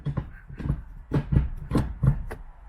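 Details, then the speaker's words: 2004 Infiniti G35 Coupe manual after installing an IRP short shifter: lever snapped through all six gears, six or seven sharp clunks, clicking heard and felt in each gear; firm notchy engagement, normal for a short shifter. "that's it very very notchy notchy meaning it's you could really uh hear the clicking between each and feel the the clicking in each um gear"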